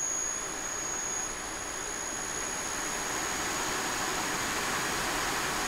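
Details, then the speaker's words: Westinghouse/Teco L510 VFD (single-phase 110 V in, 220 V three-phase out) driving a three-phase motor on a squirrel cage fan at 40 Hz, about two-thirds speed: steady even air rush, faint high whine, slight vibration, no knocks or rubbing; normal running. "thirds capacity turning a lot faster maybe you can see that maybe you can see that it's super smooth I mean it's vibrate a little at this rpm this 40 Hertz but pretty good"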